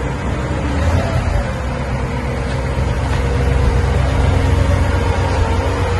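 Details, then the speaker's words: 1958 Cadillac Eldorado, 365 V8 with three two-barrel carburetors (possibly flooding slightly), idling on a new near-original exhaust with rear resonator and factory-style mufflers; low, even, soft burble with no ticks, leaks or rasp, barely audible; normal idle. "But you can barely hear it run. Like I said, factory quiet. Don't want any noise on this Cadillac."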